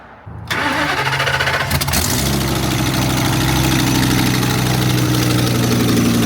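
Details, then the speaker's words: Ford work truck with plow, 73,000 miles: catches into a loud, raspy ticking idle that quiets down; exhaust leak probably both sides, needs exhaust manifold bolts and gaskets. "it's quiting down it definitely needs exhaust manifold bolts and gaskets done to it"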